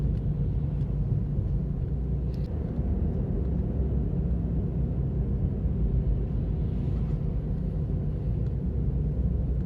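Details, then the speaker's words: Ravon R4 (Chevrolet Cobalt) driving: steady low drone under road rumble, hum of a worn wheel hub bearing; problem returned a year after first occurring. "Как гудит подшипник на Равон R4? Слушайте внимательно."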